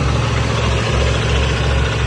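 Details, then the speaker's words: 1988 Chevy G30 motorhome at 53,000 miles, right after an oil change: steady, even low rumble at idle with no knocks, ticks or misses; quiet, smooth and healthy. "Wow. Look how quiet she is. That's a good baby. Sounds so much better, huh, baby?"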